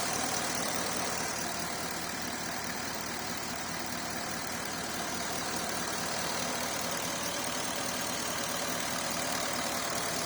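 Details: Porsche Cayenne idling after fuel pump and water pump replacement and temporary rubber-hose repair of broken plastic breather pipe: steady, even idle under constant hiss, no knocks, misses or surging; running much smoother.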